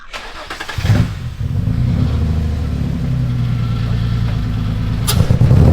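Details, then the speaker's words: Friend's drift car after attempted fix: fires after short crank, then idles lumpy and uneven with a stumbling low beat, running worse than before and smelling worse; cause unknown. "Oh, that's worse. How is it running worse? It's literally worse than before. That's terrible."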